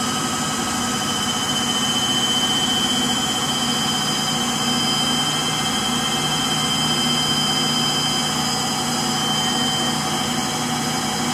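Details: Frigidaire Gallery front-load washer GLTF1670AS1 in final spin: constant loud jet-like roar with high whining tones, likened to a JT8D jet engine; bad motor bearings.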